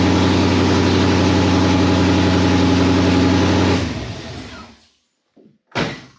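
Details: 1991 Mustang GT Foxbody, first run since 2000 on factory computer after fixing TFI wire and distributor: catches, steady even idle with smooth firing beat, shuts off cleanly; timing still to set, possibly one tooth off.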